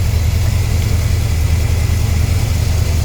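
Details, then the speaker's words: Warm carbureted V8 Corvette, about 59,000 miles, idling with an uneven loping beat: number eight misfiring, its exhaust port much cooler, from a spark plug wire burned through on the exhaust manifold. "Number eight is misfiring because of a bad spark plug wire."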